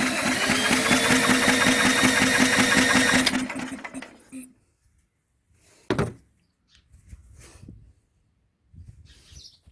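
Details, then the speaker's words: Old mower engine cranked with a drill: it catches and runs a rapid, uneven chug for about three seconds, then dies. It fires but won't keep running; carburetor cleaner was tried next. "all right there we go grab our drill yeah now we got fire look at it"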